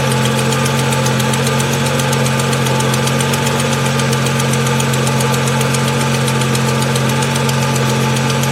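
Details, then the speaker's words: 2002 Ford Mustang convertible 3.8 V6, high mileage: light, fast ticking at cold start, keeping pace with idle, fading after about 30 seconds; owner suspects exhaust manifold leak, possibly valves, before oil change and Liqui-Moly engine flush. "it's got a little tick on startup i don't think it's valve related but if it is valve related i'm hoping maybe a flush will help"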